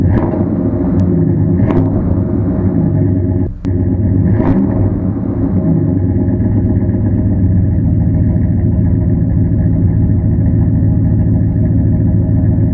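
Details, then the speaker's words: Car at a salvage auction: deep, steady exhaust rumble with no rattles, ticks or leak puffs through a brief throttle change; normal exhaust note. "we're gonna see how it sounds all right it's got a 103 thousand on it don't sound too bad sounds like a direct injecti"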